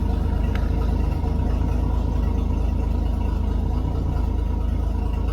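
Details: Toyota FJ40 Land Cruiser six, fired up with fuel added to the bowl after fixing the coil circuit, oil pressure confirmed: deep, even low rumble with a steady beat and no knocks or misses; idling smoothly.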